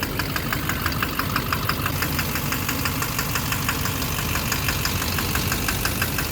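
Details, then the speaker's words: 2009 Chevrolet Duramax LMM diesel with truck camper, in drive with the e-brake on: a sharp, steady knock near two per second heard toward the rear. Owner suspects the number 3 injector; knocking continued with it unplugged. "Sounds more back here. Down in here."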